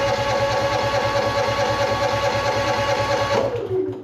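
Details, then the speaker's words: Honda EU6500iS inverter generator bought unseen at auction, battery and fuel valve on: even starter cranking a bit over two strokes per second for about four seconds, never catches; cranks but no start, varnished fuel and carburetor suspected. "I just want to see if it will crank up because I mean it's a Honda I I full on kind of expected to just start but I could be proven wrong"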